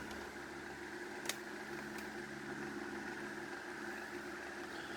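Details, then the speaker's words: 1930 Murli electric fan, restored: a bearing noise is audible while it spins up but nearly disappears once it is at speed, leaving a steady, even low hum; the fan runs smoothly. "ça c'est le bruit de roulement mais une fois qu'il est bien lancée on l'entend quasiment plus"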